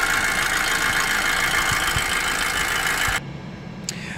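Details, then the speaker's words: 2006 Audi A4 B7 2.0 TFSI after failed timing belt attempt; cam chain, tensioner, cam follower replaced a month earlier: idles with harsh coarse tractor-like rattle; timing, oil verified, no codes or misfires, cause unknown. "I don't know why it's making these sounds let's have a look"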